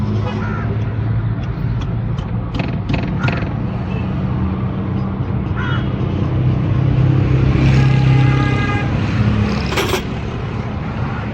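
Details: Toyota Hilux diesel after repair of injector nozzles that had caused misfiring: steady low clatter at idle, even and unbroken with a brief rise in revs; normal running.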